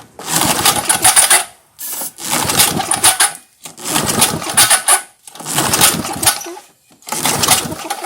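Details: 1978 Tecumseh LAV50 5 HP small engine: five pull-starts about one every second and a half, each catching briefly without firing. Finding is a sheared flywheel key; the choke flap also has a missing linkage rod.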